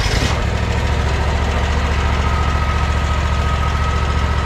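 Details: Gravely mower just reassembled after replacing a damaged spindle. Steady, even low thrum at idle, about three and a half beats a second, no knocks or rattles; normal idle.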